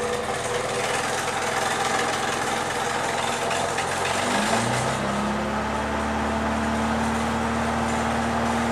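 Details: Four-cylinder engine after adjusting timing chain and valves per service manual: harsh busy clatter, pitch dropping as revs settle; horrific new noise despite more even compression and better exhaust note, cause not yet investigated.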